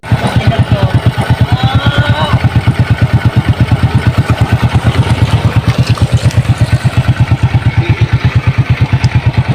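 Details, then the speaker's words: Honda XRM 125 single-cylinder motorcycle after repair of a loud engine ticking: even thump about three beats per second, steady, no rattle or ticking; noise gone, normal idle. "Yan mga par, nawala na po yung ingay sa motor ni sir."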